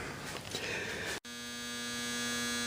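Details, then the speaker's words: 1976 Gottlieb Card Whiz pinball machine after cleaning fuses and contacts: steady low electrical buzz whenever powered on, holding even; owner suspects it comes from the upper area; source not yet pinned down. "But right now we have a buzz going on. Whenever I turn the machine on, we're getting a buzz, and I'm beginning to think it's coming from up in this area here."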